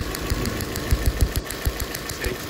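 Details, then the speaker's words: Nissan Sentra idle: uneven with irregular low thumps and skipping beat; disconnecting tests show one cylinder dead, spark and injector signal checked, faulty injector found. "es definitivamente este cilindro y tiene que ser o el o la señal que le llega al inyector o el inyector tapado"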